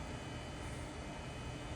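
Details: Amiga 3000 Fujitsu SCSI hard drive on stock Amiga SCSI controller during speed test (about 1.6): steady low droning whir, no clicks, scrapes or hiccups, airplane-like; drive spinning normally under load.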